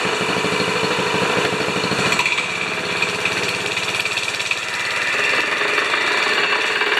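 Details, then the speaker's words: 196cc plate compactor that arrived seized, now running: a small engine thumps steadily under a rattling vibratory plate with the clutch engaged, and the compactor works normally. "okay i call that a success we've gone from a seized plate compactor to an operational plate compactor but there's a lot of work to be done on this one"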